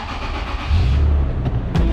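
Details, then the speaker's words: 2007 Toyota FJ Cruiser, 4.0L 1GR-FE, about 120k miles, on a charger/booster; short crank then catches right away into an even rumble; clean, healthy start. "fires right up like toyotas do"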